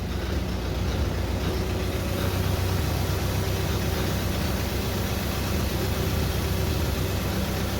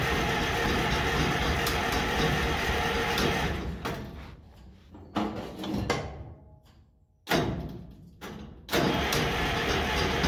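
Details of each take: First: International 93 combine engine, unused 15-16 years, old gasoline drained, good oil pressure: steady even low rumble at idle with no knocks, misses or surges. Normal idle. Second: International 93 combine, unused for 15–16 years. Steady fast cranking churn for several seconds, then stop-start bursts with no catch; it never fires, and the choke had not been used.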